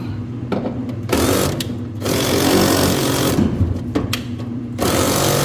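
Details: Whirlpool dryer before repair: loud rough grinding swelling and fading in bursts as the drum turns; worn drum rollers, fixed by roller kit replacement.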